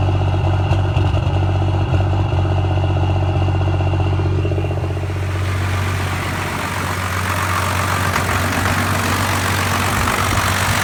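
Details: 1993 Cummins diesel at idle: loud clatter, uneven beat with occasional stumbles, settling slightly; rough stuttering idle and lacking power, owner suspects lift pump, injection pump or overflow restriction screw.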